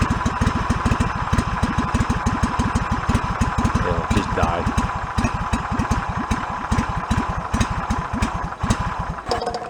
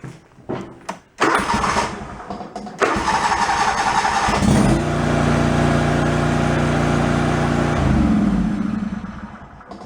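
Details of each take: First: Yard-sale John Deere mower with a long-running flooding problem. Single-cylinder engine putters unevenly and stumbles toward dying. Believed flooded with too much fuel and stalling itself; rough idle and stalling. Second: Yard-sale John Deere mower with new fuel pump, cold start without choke: a few cranks, then catches and settles into smooth, even idle with no stumbling or flooding; flooding cured for now.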